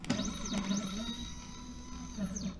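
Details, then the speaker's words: Genmitsu 3018-PROVer V2 CNC mill, first power-up before CFRP machining: short X-axis jog gives rising and falling whine sweeps with a gritty buzz underneath, cause unclear; unusual stepper axis noise when jogging. "โอ้ฉันได้ยินเสียงแปลกๆจากX"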